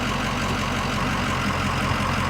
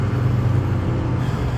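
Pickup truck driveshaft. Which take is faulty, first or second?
first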